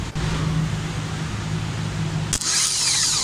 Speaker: this is my ground I'm gonna touch the table see what happens whoa oh [ __ ] it works